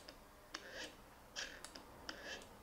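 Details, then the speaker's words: Mercedes SL600 repaired driver and passenger throttle actuators driven by tested EGAS module: sharp paired clicks and soft whir as both open and close in sync; normal operation. "and now we're going to activate both of them at the same time I'm going to focus from one to another but right now when you open one obviously you see the other one follows so they both work synchronized"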